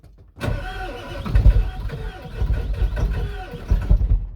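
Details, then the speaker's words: Ford 7.3L Powerstroke diesel with a mechanical lift pump, a new fuel tank and filter, and a fuel bowl left empty for days: slow, labored cranking with uneven pulses and brief half-catches, a little smoke, then it stalls. Air in the fuel system, filter ran dry, prime lost. "And it's got air in the system. It'll breathe out. She stalled out."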